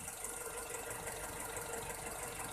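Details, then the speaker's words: Toyota Kijang carburetted petrol engine, warm after driving, idle RPM slightly high, after power jet carburettor adjustment: fast, light, even ticking over the hum; valve clearance slightly loose (15 in, 25 ex), valve tapping at idle. "berisik mungkin ya. Ini setelan klepnya agak longgar di 15 in dan 25."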